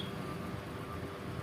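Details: Havells 12+12 pole ceiling fan, 4-wire capacitor connection, running after rewinding with same winding data: steady, even low hum with soft whir, no knocking, scraping or rattle; healthy normal running (worn bearings would add noise).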